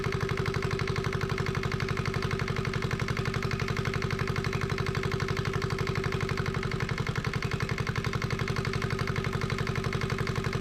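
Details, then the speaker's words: Yanmar 1GM single-cylinder marine diesel from a sailboat, run in a shop, finally started: even thump about three beats a second, steady and unbroken, smoke more or less stopped; normal running. "I just wanted to start it up I got that water going through there I know the lighting sucks um but thank goodness that I've got it running"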